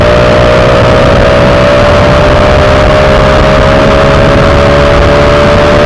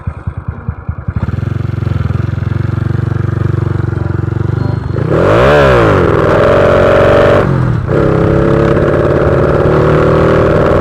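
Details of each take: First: Honda Wave 125i with a PCX150 fuel injector that ran rich and stumbled on throttle, after fitting the correct original injector, riding on the road: steady, even engine hum with no stumbles or misses. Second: Honda Wave 125i fuel-injected motorcycle with a PCX150 part fitted and a recently changed fuel pump, revving unevenly and faltering under throttle; rich mixture hesitation on acceleration.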